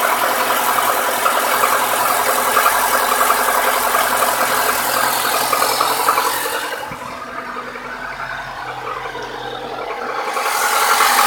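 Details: New Lada Niva 21214 with a cold engine: a sharp, fairly regular light tapping, about three to four per second, located near cylinder 4 on the manifold side, which disappears once warmed to 70-80°C; cause not determined.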